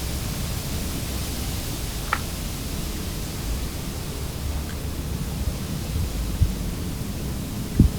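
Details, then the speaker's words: Whirlpool dishwasher after fill valve replacement for not dissolving soap: strong steady hiss of water rushing in at full flow, faint clicks; fills properly. "and the sound of the water getting pushed around by the circulation pump is a lot louder than it was because there's a lot more water in there"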